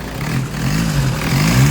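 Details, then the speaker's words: 2014 Hyundai Santa Fe with push start, after fixing a no-crank, no-start fault: the engine revs up cleanly, pitch climbing smoothly with no misses or knocks. "running siya again once again. Okay naing na naman."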